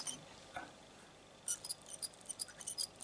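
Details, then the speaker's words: Cheap French model locomotive for a garden railway, mechanism turned by hand during disassembly; thin high dry chirps from running gear, lots of fluff and dirt in motor supports, gears good, motor problem suspected. "Squeaky squeak. I've now got both of the motor supports to bits, and there's an incredible amount of rubbish in here, fluff and dirt and stuff."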